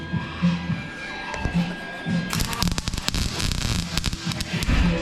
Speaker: It's supposed to sound like you're cooking eggs. Yeah, well, it's not. It sounds like you're frying bacon.